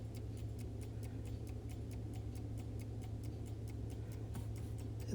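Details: Vintage Coca-Cola electric rewind clock, officially reassembled after its failed mainspring rewind motor was replaced: crisp, regular ticks about four a second over a faint steady motor hum, running evenly while waiting to see if it rewinds on its own.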